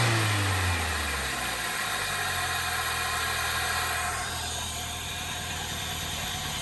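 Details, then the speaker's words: 2003 Toyota Celica GT with a 1ZZ engine, after sitting and priming the fuel pump: a fast idle drops smoothly to a steady, even tone with no knocking or misfire. Some smoke is blamed on rodent debris; the engine runs. "But the most important thing is she runs, and she ain't a knocking yet."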